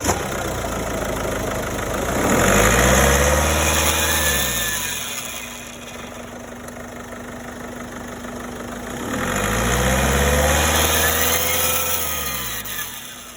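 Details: Mini Cooper petrol engine revved twice from idle; a thin whistle rises and falls with each rev, suspected turbocharger failure, unconfirmed.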